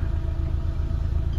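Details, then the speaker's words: Rebuilt Mitsubishi Lancer 4G15, standing behind the car at the stock tailpipe: soft, even low puffing with no ticks or knocks, can't tell it's running; normal, smooth idle. "Grabe. Tahimik na tahimik mga padi. Yan, pag nakatayo ka sa likod, hindi mo akalain umaandar eh."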